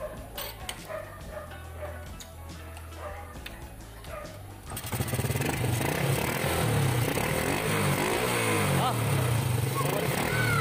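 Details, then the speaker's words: Honda XRM 110 motorcycle just fitted with a 125 carburetor, test run: after a quiet start it settles into a steady, even idle with no popping or misfire; fueling sounds healthy, normal idle. "Nakabit na. Ang ganda ng tunog oh. Testing."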